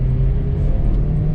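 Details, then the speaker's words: 1996 Toyota Camry, long parked, on a road drive: steady deep drone under road rumble, revving smoothly up to 5,000 rpm and reaching about 50 mph, no knocks or misses; normal acceleration. "Ooh, man! Just zings up to 5K. This thing's a straight up ripper."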